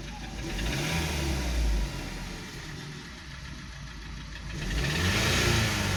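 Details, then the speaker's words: 2012 Volkswagen Passat CC 2.0 TSI (EA888 gen 1, CCT), 189,000 km, cold engine freshly topped with oil; hard rapping "tah-tah" knock that quickens with revs and is unchanged after the oil fill; piston knock. "Ну, звук как был, так и остался. Он не стал, не поменял ни частоту, ни тональность, ничего, все осталось как и было."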